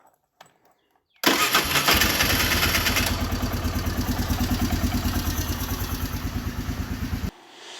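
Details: ATV about 20 years old, sat unused in a barn for years, after first repair by a beginner with the fuel valve turned on: quick catch on the starter, a brief flare of revs, then a steady even idle of about three beats a second; starts and runs normally.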